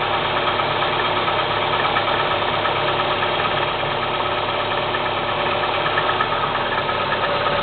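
Cold engine idling with an uneven knock about three times a second over a busy, rattly idle; a cold-start engine knock.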